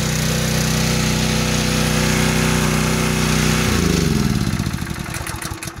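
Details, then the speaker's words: Honda GX200 6.5 engine on pressure washer after carburetor replacement, warmed up, choke off, throttle on rabbit: steady even high-speed drone, then winds down smoothly when shut off; normal running. "runs like new 25 bucks best price ever enjoy"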